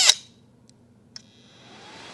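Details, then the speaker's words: Ender 2 Pro 3D printer, hotend shroud removed: sharp click then hissy high-pitched airy whoosh building up; the small hotend cooling fan moves lots of air but runs very loud. "and boy is that a loud fan so you can hear this it's moving quite a bit of air but it's pretty loud too"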